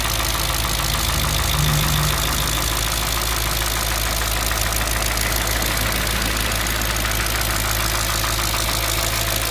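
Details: Audi S4 B6 engine at idle: steady idle with fast light ticking, about three per second, over an even hum; unexplained engine noise.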